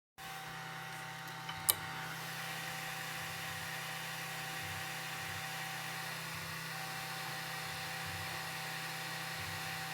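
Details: Anycubic i3 Mega Bowden extruder, two weeks old, suddenly started skipping when printing: steady stepper hum and whine broken by a regular low stutter as the extruder skips; synchro of noise with skipping.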